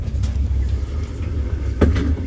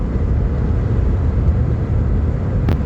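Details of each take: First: 2008 Nissan Quest driven before replacing a worn front CV axle seized in a bad hub/wheel bearing: heavy low rumble and rough drone with occasional thumps while the van shakes. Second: 2008 Nissan Quest driving after CV axle and hub replacement: only smooth, even road rumble at steady speed with no clunk, knock or shudder; earlier vibration and noise gone.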